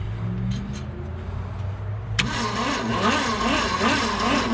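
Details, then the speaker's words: 1966 Ford Galaxie junkyard car after fitting new points and a different coil: starter cranks steadily with rhythmic whirring but never catches; spark is confirmed, so the fuel system is the next suspect. "Oh, we got spark. May not be ideal, but we have it. Alrighty, so now we can focus on a fuel system."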